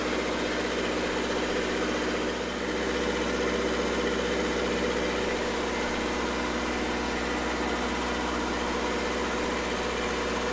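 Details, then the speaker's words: Red-D-Arc D300K welder generator, Kubota V1902 four-cylinder diesel, restored, after new 220 outlet wiring and reconnecting a white wire: even clatter at constant speed, no surging, knocking or misfire, no load; normal running. "sweet put this white wire back in here and we'll start it back up and let it run for a little while"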